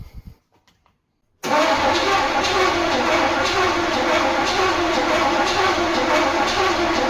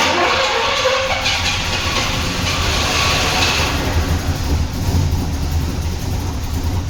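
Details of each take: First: Turbo Trans Am (Swiss-market GM), first start attempt after years: even, steady cranking around 3.5 beats a second for six seconds, never catching; no ignition despite distributor checked, suspected missing signal from ECU/spark control module, jumper being tried. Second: Turbo Trans Am first start after years, on 15–20-year-old fuel, after correcting a wrongly installed distributor: rough, uneven low rumble with a lumpy beat and no clear knock, lots of smoke; engine keeps running.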